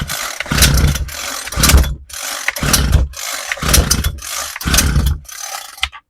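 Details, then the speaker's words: Homelite 26cc UT26CSEMC string trimmer that wouldn't start after sitting, now with fresh fuel, a cleaned air filter and replaced fuel lines and parts. Pull-starts on full choke, putts, is moved to half choke and catches into short buzzy runs. Normal starting. "All right, throttle's on. Let's put it on full choke. It's starting to give it a couple putts, so I'm going to move it to half."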